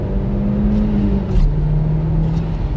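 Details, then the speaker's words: Mk1 SEAT Leon Cupra R at full throttle after misfire fix (ignition coil connector slightly damaged but working): clean even climbing pull, no stumble, juddering gone; smooth, responsive. "Power feels good, smooth, responsive, which can only be a good thing."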